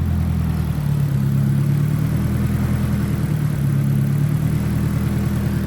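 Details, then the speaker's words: Nissan C33 Laurel SR20, first start after fuel pump prime, in neutral: smooth steady cold-start fast idle around 1100 rpm with no stumbles or knocks, normally dropping a little when warm; normal cold idle. "I'm liking it. A little cold start at 1100. I don't even know if it's set up, but like kind of has to be, I think. Every time I start the car, I mean, it sits at like 1100 and then drops down a little bit when it's warm."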